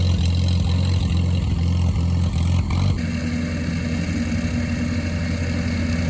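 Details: Grandpa's old tractor just restarted after the fuel was pulled, settling into a steady, even low chug with no knocks or misses. Normal, healthy idle.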